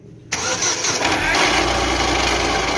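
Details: Daewoo/Chevrolet Nexia: the engine cranks and settles into a steady run with a hard, hissy whir on top; the noise is traced to the alternator, whose bearings turned out to be worn, and the removed alternator vibrates and had fallen apart.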